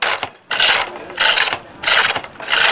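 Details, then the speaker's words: Pole lathe, treadle and rope driven, deep-scallop roughing-out gouge on a split ash chair-leg blank not yet fully round: rhythmic bursts of harsh hissing cutting about every 0.7 s, taking off a lot of wood quickly. "This bit here is left not fully rounded, so it takes off quite a lot of work quite quickly."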